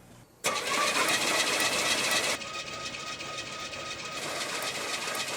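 A steady whirring crank at an even rate with no binding or clunks; the engine turns over freely on the starter.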